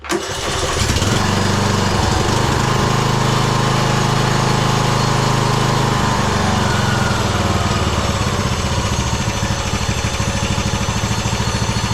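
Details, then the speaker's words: 2009 Craftsman YTS 3000, 21hp Briggs & Stratton with heavy blowby, oil smelling of gasoline; engine runs loud but uneven, beat wavering and stumbling instead of holding steady idle; stumbling after start. "Well, we still have a whole bunch of blowby. Oh, it's just starting to stumble here. I thought I was going to die."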